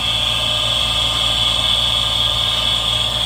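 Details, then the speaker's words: Furnace inducer motor on a newer Duquesne unit, running with a manometer showing good draft. A loud, steady high-pitched scream sits over a low hum. Dust from basement work is suspected in the bearings, and something inside the motor seems to be going wrong. "and that is what's causing the sound I definitely I definitely want to open this up to take a look it sounds like the internally something is definitely going wrong inside that motor that's not a normal sound"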